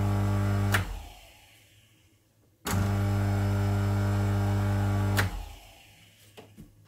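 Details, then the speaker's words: Homemade horizontal drill press motor after replacing grinding, damaged bearings, tested with no chuck fitted: spins up to a steady, even hum and coasts down smoothly with no grinding or rumble. Much quieter than before the repair. Normal running. "Now that sounds sweet. A lot nicer than it was."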